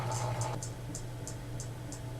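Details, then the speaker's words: New-old-stock Emerson Casablanca 36" friction-drive ceiling fan, boxed since 1980, on first power-up at low speed: soft steady motor hum with a faint occasional tick; runs smoothly, canopy suspected for the tick. "it's pretty pretty smooth on the lower speed that's where I'll be running in anyway that's low right there that's pretty good"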